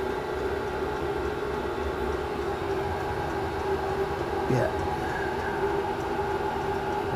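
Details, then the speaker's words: Chinese diesel heater in a shed at full output during warm-up, before dropping to a low tick-over at set temperature: a constant loud fan roar with a steady whine and no rattles or surging. Normal full-power running. "you can hear it roaring okay let's tidy the shed up while that's doing that now it's a lot harder in the shed excuse the noise it will calm down in a minute"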